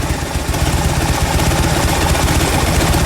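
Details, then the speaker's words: Fuel-injected Harley-Davidson V-twin after an intake cleaning fixed its stalling at throttle release and cleared P0152 (rich rear cylinder): steady, even lope at about four beats a second with no stumbling or hunting; idle now normal. "As you can hear, it now is idling like it's supposed to."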